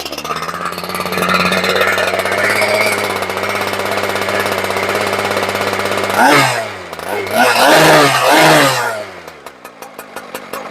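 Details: Husqvarna K970 two-stroke concrete saw, previously non-running, after servicing (fuel filter, primer bulb pumped, choke on start): smooth steady buzz, then crisp revs up and down with no bogging or missing; fires right up, no other issues.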